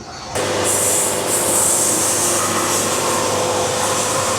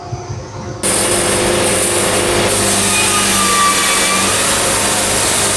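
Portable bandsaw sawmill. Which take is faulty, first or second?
second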